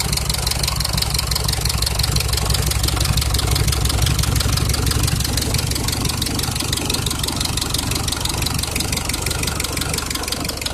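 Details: Cummins diesel: sharp, regular knocking about three times a second riding on the idle and keeping pace with engine speed; internal engine knock.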